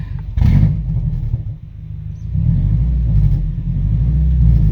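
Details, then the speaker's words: Lifted Subaru GC8 after reseating a pulled-out plug wire and fitting new plugs, wires and coil: deep, steady rumble with a quick throttle blip that picks up cleanly, no near-backfire, popping or stumbling as before; engine running smooth. "i think we found our issue this is how smooth it is now before i would kind of blip the throttle and it would like almost backfire"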